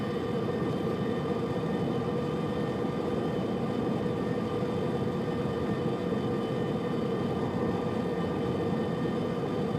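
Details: Subaru Liberty, recorded from the left side of the centre console: steady metallic grinding drone under road noise; starts above 65 km/h and continues even coasting in neutral until speed drops to 60 km/h.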